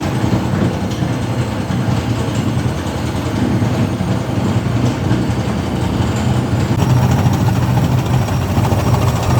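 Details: Washing machine drum spinning with loud, heavy rumbling and rattling and strong vibration, an abnormal noise whose cause was found on opening and inspecting the machine and then repaired.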